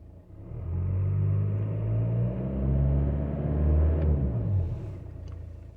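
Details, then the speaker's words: VW Jetta Mk5 1.9 TDI 105 hp (BXE) after turbo rebuild with oil, filter and diesel filter change, about 43 km run-in: low, smooth diesel rumble rising and falling evenly through light revs, no knocks or whistle; much smoother and quieter than before. "but like I said it's much much smoother much quieter I'm gonna rev up now the engine a little bit"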